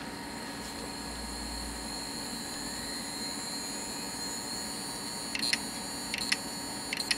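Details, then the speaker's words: Damaged hard drive that the computer does not recognize, on connection: a steady whir, then sharp paired clicks as the head seems unable to reach its proper position. "यह ये आवाजें करती है ऐसा लगता है कि सिर सही स्थिति में नहीं आ सकता है"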